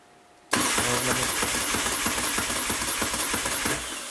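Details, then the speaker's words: Brand-new 2012 Moto Guzzi Norge with 3.2 miles: after ignition the red warning light and "service" show on the display, then the starter cranks at an even three beats a second but it never fires. Battery reads 12.5 V, dropping to 10.8–11 V while cranking. Crank, no start. "And if we crank, nothing will happen other than the motorcycle will crank."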